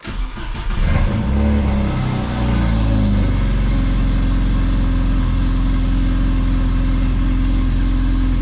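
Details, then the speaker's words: 1989 Rover Mini Racing Green, 998cc John Cooper conversion (60 BHP), battery left connected 7 months, fully dead at zero volts, then smart-charged a week: brisk, even cranking about two seconds, fires into smooth steady idle; normal cranking and start. "excellent and that sounded good it turned over quite healthily so fingers crossed that battery is going to be fine"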